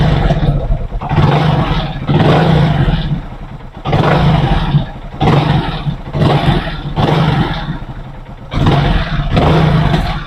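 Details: Engine after noise repair and reassembly: repeated throttle blips about eight in ten seconds rise and fall cleanly, smooth with no knock on sudden throttle, where before a knocking sound came on sudden throttle; problem solved.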